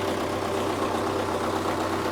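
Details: MTZ-892 tractor diesel idling with a replacement Czech turbocharger fitted: a steady, even, low chug with no knocks or obvious turbo whistle, sounding like a normal healthy idle.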